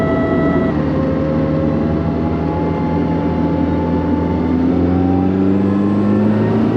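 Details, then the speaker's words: Nissan S13 Silvia on the road, heard while driving: steady tonal whine over road and engine noise, climbing in pitch with speed; drivetrain whine travelling through to the rear end. "it's got a bit of a whine that travels through to the rear end. It's not that bad, I guess."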